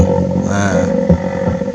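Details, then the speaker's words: Genesis Superbass active car subwoofer played from a phone via jack: music comes out rough, growling and crackly with a buzzy edge on the bass. "Nah itu teman-teman suara itu ya kalian kalian bisa dengar ya suaranya ya seperti ini ya suaranya ngorok teman-teman"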